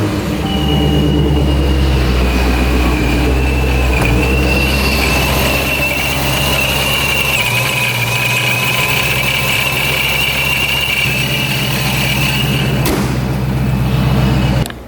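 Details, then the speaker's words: Procharged Dodge Scat Pack after shop inspection: steady high supercharger whine over smooth, even idle, no knocks or grinding; shop says not bad, sound varies while blower breaks in; normal supercharger whine. "It was not bad. It was just, I guess it just sounds different at times when it breaks in."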